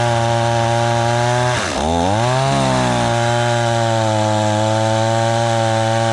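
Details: Stihl 026 two-stroke chainsaw after rebuild, warming up on thick fuel: brief blip then steady, even idle sitting a touch high; idle set slightly fast, chain just starting to turn.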